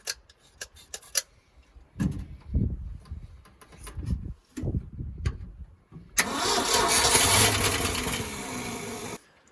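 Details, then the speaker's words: 1971 Ford F600 sitting since 1992, after condenser swap, spark present, odd noise up front; slow cranking with brief catches, short run fading out; only fires on priming fuel, bowl not filling from its own supply. "that's better see if we can get the ball filled up here so it'll actually stay running"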